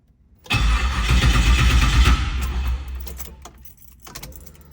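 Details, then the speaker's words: 1978 Trans Am SE with LSX/LS6 swap and FiTech, first start on second try, some oil pressure: V8 catches with deep, uneven rumble that fades after seconds, no knocking from the front; rough first start sorting itself out. "Didn't hear any knocking from the front. And she was sorting herself out."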